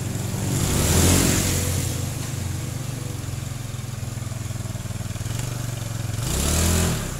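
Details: Honda Beat scooter after fixing shudder and jerk on take-off caused by unevenly worn clutch linings: steady single-cylinder putter with two smooth rev swells and no shudder; clutch taking up normally.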